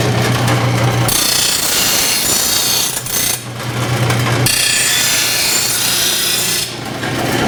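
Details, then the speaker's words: Rotary mower blade on a bench-top stone blade grinder; the blade keeps getting pulled into the wheel, making an even grind hard; harsh grinding swells heavy then drops light; uneven grinding load. "still grinding with the wheel like this it's still trying to pull it in which is kind of making it hard to get it even grind across here it's wanting to pull in right here"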